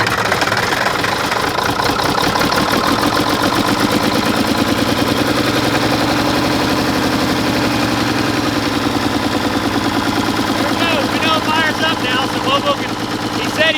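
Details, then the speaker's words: Mack truck diesel brought back to life, with about 55–60 lb oil pressure. Loud, uneven clatter with a ragged beat that slowly drifts up in speed. The injection pump rack is loosening, so the governor lets it rev away and it runs very rough. "it is really rough guys I would almost say too far G but there it is Bobo hope you're happy seems like the injection pump rack is actually starting to loosen itself up you see how it's starting to rev away so the rack's getting loose"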